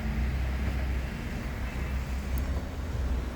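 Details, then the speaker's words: 2010 Kia Soul after replacing the worn star gear in the electric power steering motor: steady low engine hum, steering knocking gone, quiet and normal. "اتاكد زي ما انتم شايفين كده ان ما فيش اصوات بعد ما انا قفلت بالصوت بقى طبيعي جدا والصوت اللي كنت بسمعه راح"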